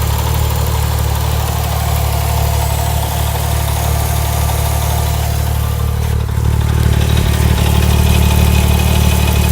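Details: Porsche 997 Turbo Mk1 petrol engine at warm idle (warm oil): even idle with a light, steady ticking about four beats a second; owner thinks the noise is curious and asks what it is; ticking at warm idle.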